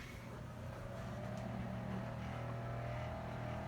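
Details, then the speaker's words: Kenmore 790 electric range with true convection: a loud, steady droning hum with a buzzing vibration as the convection fan ramps back up after the oven door is closed; cause unknown. "that crazy so now if you guys are wondering what what this noise is when I'm making my cooking videos if you're you don't know now you know"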